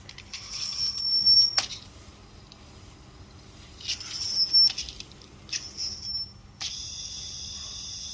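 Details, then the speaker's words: Leak detector on a buried water supply pipe, checked because the pump cycles every 30–35 seconds. A high, airy hiss comes from water escaping the pipe underground. "ตรงนี้ไม่ใช่ท่อลอยนะครับอันนี้ยังมีท่อส่วนที่อยู่ใต้ดินอยู่นะครับมาลองฟังเสียงกันดูนะครับ"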